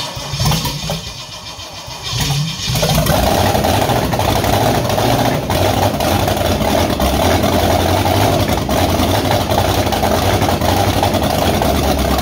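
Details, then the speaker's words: Freshly rebuilt Holden 4.2L 253 V8 on a cradle, running very rich: catches after short crank and settles into uneven lumpy idle that keeps breaking up; misfire blamed on a faulty, overheated coil, replacement ordered. "you here it's sort of breaking up a little bit still that cor is not great but um there you go that's the 53 up and running"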